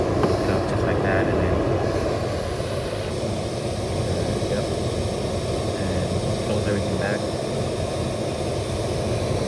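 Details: 2007 Lexus GS350 blower: steady, even rush of air with no rattle, tick or chatter; blower running smoothly and moving air normally.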